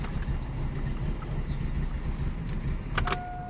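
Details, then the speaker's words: 2006 Vauxhall/Opel Astra H Z14XEP 1.4 petrol (dual fuel, running on petrol) that misfires badly and sometimes stalls: fast, uneven cranking with a lopsided low chuff and one weak beat per cycle; compression test confirmed a dead cylinder with zero compression. "I hope you can see how badly is misfiring the car hacks me stalls sometimes"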